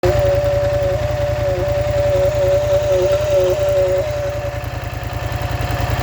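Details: Polaris Scrambler XP1000 S weird noise: high, wavering whine over steady engine pulse for a few seconds, then fades; source unclear, cause suspected but unconfirmed.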